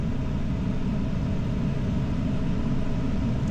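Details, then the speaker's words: 2014 Ram 1500 at idle and steady rpm, scan tool showing cylinder 3, cylinder 5 and random multiple misfires, misses on all cylinders: deep uneven lumpy V8 idle; erratic cam signal suggests more than one problem, cause not confirmed. "See, I'm also showing up with a cylind cylinder five misfire. I had a miss on all of them"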